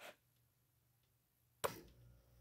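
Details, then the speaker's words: RV powered via heavy-duty extension cord: quiet, then one sharp relay click as power returns and faint low hum follows; converter clicking on and refrigerator back on, normal. "hear that click that's a converter clicking on refrigerator back on"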